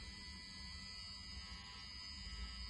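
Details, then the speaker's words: Brand-new Honeywell three-way motorised heating valve that failed within 24 hours of fitting: a steady electrical buzz with a thin high whine over a constant low hum from the faulty valve. It was replaced with a new valve. Motorized valve buzzing. "so that was the video that i got from my mate about this valve as you could hear it was buzzing away"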